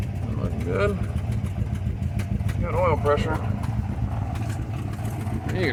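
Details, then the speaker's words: 1964 Ford F100 V8, tired and hard-starting even warm, idling with an uneven stumbling misfire and sharp exhaust puffing; large exhaust leaks, possibly at the heads. Cause of misfire unconfirmed. "it missing we've got an exhaust leak here"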